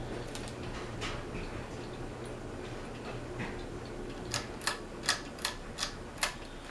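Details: Fasco Vanity Fair ceiling fan with a loose flywheel, loosened during an attempt to remove it, and a slight wobble: soft fan hum with a run of sharp, evenly spaced ticks near the end, roughly three per second, as the loose flywheel knocks while turning.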